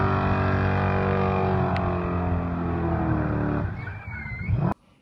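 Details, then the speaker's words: Supercharged 1UZ V8 Toyota Soarer drift car, clutch possibly not bedded in: loud steady roar at high revs without pitch climbing under load through second and third gear, then cutting off; clutch slipping, burnt. "So yeah, as you can hear by the sounds of that, fried that clutch pretty good. First gear was a little bit weak, threw it into second and kind of wanted to get a little bit more out of it, and yeah, once put it into third, that just basically fried it."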